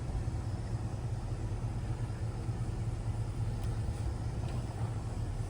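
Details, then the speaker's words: 2024 Chevrolet Silverado 2500HD Duramax on 35x12.50 tires with negative-offset wheels, after a mud flap delete kit and liner adjustments: backing in at full steering lock gives only low truck rumble, no tire rubbing. "And then we're going to crank it all the way, and we're going to back in. Cranked all the way. Getting nothing."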